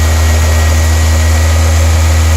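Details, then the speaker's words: 1993-97 Toyota Corolla/Geo Prizm idling after radiator replacement and coolant bleeding, at operating temperature: smooth even idle with steady cooling fan rush, no surging; no overheating, heat working. "your fans will come on and cycle and you'll be an operating temperature you won't be overheating you'll have heat you'll be good"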